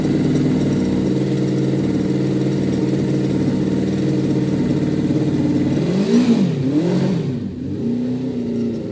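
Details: Honda 400 Four after valve clearances set by feeler gauge, before ignition timing set: four-cylinder ticks over evenly for several seconds, takes quick throttle blips and drops back without valve ticking or hesitation.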